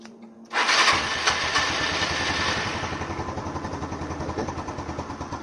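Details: Scooter fitted with a remote alarm/starter wired without a relay, started remotely without a key: brief starter whir, then the small engine catches and settles into a quick, even putter; a clean start.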